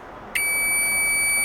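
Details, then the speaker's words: Continuity buzzer of a new Chinese multimeter after its faint stock buzzer was replaced with a microwave-oven buzzer; a steady, loud high-pitched tone switches on sharply and holds, much louder than before and working properly. "pues ahí está miren más fuerte Ahí está mucho mejor mucho mejor amigos mucho mejor"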